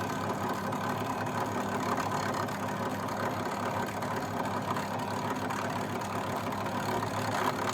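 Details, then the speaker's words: Fagor Innovation FUS 6116 IT integrated washer dryer during drying test: loud, steady whirring roar with constant hum, no speed change; drying fan abnormally noisy, cause unknown, drain pumping slugs of water. "You can hear that fan, it sounds just crazy."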